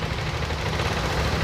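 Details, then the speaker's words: Yamaha Aerox scooter idling with a harsh, busy clatter of rapid ticks from the head (rocker arms) and a loose, shrill cam chain rattle; often caused by late oil changes. "ngeracak ya ada suara keteng ada suara pelatuk ya teman-teman ada suara pelatuk ada suara ketengnya juga nih"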